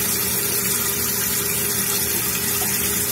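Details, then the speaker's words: Running toilet: steady hiss and rush of water pouring into the bowl that never stops because the flush valve flapper is not sealing. "It's our flush valve. There's the flapper. That creates a seal and prevents the water from the tank going into the bowl."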